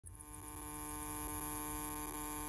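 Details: Noisy Starlink satellite internet power supply, in use about a month, internet still working fine: steady electrical buzz with a thin high whine. Finding: electrical buzz from the power supply.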